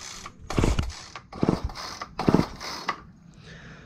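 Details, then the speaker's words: Free roadside Craftsman gas line trimmer, switch set to run, ants inside it: three uneven rasping recoil pulls with a firm pulse each stroke, no start yet; sounds like really good compression. "right so it s it sounds like it's got compression um actually sounds like it's got really good compression"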